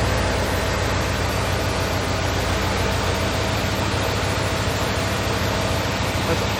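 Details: 1997 Lexus LX450 with LS 5.3 V8 and 6L80 swap, about 2,800 miles since swap, first start after belt and fluid work; steady, deep even idle with no belt squeal or slap.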